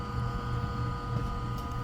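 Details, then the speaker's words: Ice-O-Matic GEMU090 flaker ice maker in normal operation, with compressor and fan running and water in the evaporator: a steady even compressor hum over a low fan rumble, no knocks or rattles. "Compressor's running. The fan's running. Water's in the evaporator."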